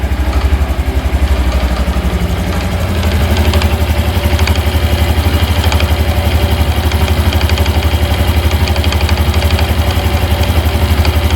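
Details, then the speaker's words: Honda Hunter Cub (JA65) at idle: distinct clattering rattle about four times a second riding on the thump, expected to grow louder as the engine warms and absent when revs rise; clutch damper suspected as the cause. "まあとりあえず音だけは取れたんで、音取れた。結構目立ちましたね。目立つカタカタ音。"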